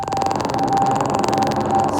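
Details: Apple TV playback on a Mac with music-like audio overlaid by a fast, constant static crackle; caused by Audio MIDI Setup output format at 44,000 Hz, fixed by changing it to 48 kHz.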